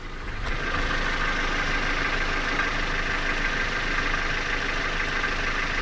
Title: Стук мотора 2